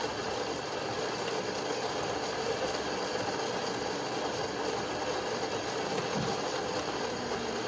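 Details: Saeco coffee machine after grinder and brew group replacement for improper grinding: even mechanical whir with a fine ratcheting texture, grinding normally after repair.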